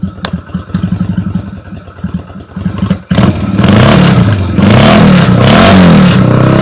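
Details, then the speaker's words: Yamaha Virago 250 on a cool day, original carb, idle set very low, original exhaust modified (cut open): low even idle thump about four beats a second rising into smooth clean revs with strong exhaust note, full cylinders; normal running and revving. "อ่าเป็นไงครับเสียงท่อดีมากนะครับเป็นเป็นท่อผ่ามาแล้วนะครับเป็นท่อเดิมผ่ามานะครับเสียงดีนะครับ"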